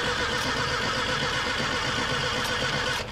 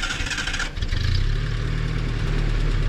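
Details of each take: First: Vehicle with a Mallory dual-point distributor, cranking with no start. Steady starter cranking at about four turns a second with no firing; one point set opens but the other does not move, has no spring tension, is worn out and looks burned. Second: Abandoned Datsun 620 pickup, started and put in first gear, still needing a fuel pump: catches after a brief crank and settles into an even, steady low idle with no knock, only a slight tick (valves suspected).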